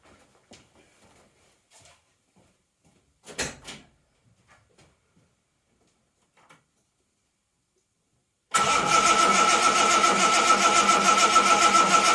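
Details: 1980 Reliant Scimitar GTE SE6A after a month laid up, cranked with the fuel pipe off into a bowl to check delivery; starter cranks steadily about three and a half beats per second but never fires. Spark and fuel later confirmed.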